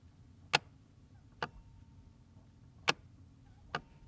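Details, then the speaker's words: Jaguar XK8 stuck in Park, ignition on, pressing brake pedal: crisp single clicks in a quiet cabin as the shift interlock solenoid releases; normal, so check brake lights and switch if click is absent. "when you're touching the brake pedal that comes out so if you're not getting that click then look at your brake lights brake switch before you do anything too complicated"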